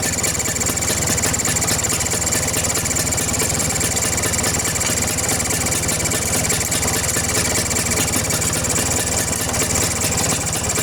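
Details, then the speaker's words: Vespa two-stroke engine idling, carburetor cover removed: busy idle with thin steady high chirp, air leak past loose carburetor mounting nuts; tightening the nuts cured it. "atau ada kebocoran? Karena biasanya suara yang dihasilkan seperti ini berasal dari area karburator, teman-teman."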